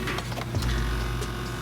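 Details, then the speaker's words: BMW E60/E61 535i xDrive Touring comfort seat, thigh support control pressed with the car on: the small motor whirs with light ticking but the support does not move; the plastic drive gear has stripped, fixed with an all-metal replacement gear. "the thigh support is not moving so why does this fail well basically there's a part of this drive mechanism that moves this seat that that brakes"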